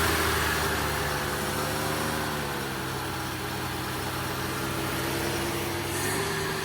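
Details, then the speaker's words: 1965 Plymouth Barracuda slant-six, parked since 1994, on temporary fuel supply: uneven, hunting engine beat that won't settle to idle; runs rough and won't idle, though it isn't smoking badly. "It's crazy that it won't idle."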